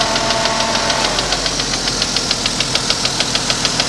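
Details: 1992 Jeep Cherokee at idle; sharp, even tick about three per second, louder than the engine itself; cause not yet found.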